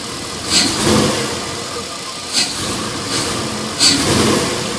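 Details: LS1 V8 after new intake manifold, headers and EGR/AIR delete: idle surging and dipping every one to two seconds with faint hiss; vacuum leak from an open fitting left uncapped after AIR/EGR removal; fixed with custom hoses.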